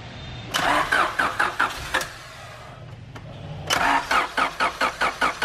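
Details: 1991 Honda CRX Si with JDM B16A swap, after fixing a no-start by restoring fuel pressure (tank was low on fuel): two bursts of steady cranking at two to three beats a second, engine catching; normal start.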